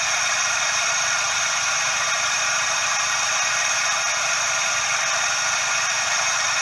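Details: Suzuki Every DA64V engine, heard up close: steady, even "shaa/jaa" rushing hiss with no knock or rhythm, from the belt tensioner bearing.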